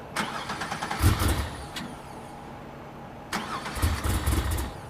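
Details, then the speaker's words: Crusher Camaro with a swapped 700 hp engine, cold start in cold weather. Long cranking, a brief catch that dies, then sputtering is heard. Cranking fuel is fine, but the mixture is lean. "Have to work on the cold start a little bit. Yep. Cranky fuel is fine."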